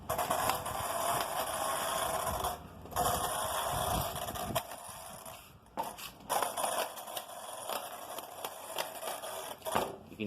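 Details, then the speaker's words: Arrma Talion 6S BLX RC car with high-speed gearing and stretched front springs, running under load: a high electric motor whine broken by sharp, irregular snaps and pops felt coming from the front drivetrain. Cause unconfirmed. "that snapping and popping right there in the it's coming from the front I can feel it"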